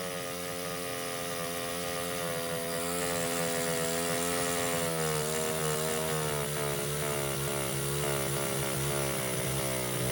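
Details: Baja 49cc mini bike after carburetor cleaning: constant high buzz that never drops back, stuck wide open and won't idle even with throttle screw fully out. Owner suspects it has to do with air intake; cause unknown.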